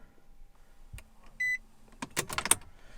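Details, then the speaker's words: Infiniti G35 coupe after fuel sender work, key on to purge air from the fuel line: a chime, then a low electric hum for about a second before clicks as the pump stops once pressure builds. Normal prime. "it's getting pressure I can hear it because it doesn't want to push any more fuel to it"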